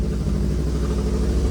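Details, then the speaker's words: NA Mazda Miata with BP4W engine swap, after a slight cam adjustment and fine tuning: steady, even low idle with no throttle, no misses or hunting; normal idle. "This is it just idling. It's like perfect. It's idling 100%."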